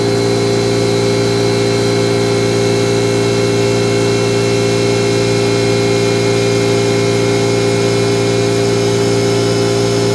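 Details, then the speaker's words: Small cooling fan in a nearly 30-year-old doorbell server that had failed, after first oiling with 3-in-1 oil: constant dry whirring hum with steady raspy tone; bearing still running dry, soaking up oil and needs more. "Hear how dry it is, so it's not like you can't use it."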